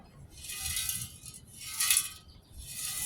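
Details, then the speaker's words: Old Coleman 426D three-burner camp stove, fuel tank shaken: three bursts of gritty, tinkling rattle like loose flakes inside, rust built up in the tank; grit also found on the pump's leather cup. "yeah you can hear the rust in there can't"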